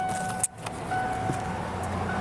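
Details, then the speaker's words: Truck with all-new fuel pumps, 20-year-old unused high-pressure pump, key on: steady mid-pitched whine; front pump suspected failed, fuel pressure only 15 psi dropping to 0, no fuel reaching high-pressure pump from either tank. "Yeah, I think the pump went out. Okay. That's it? I think that's what it is. I think the pump is shut."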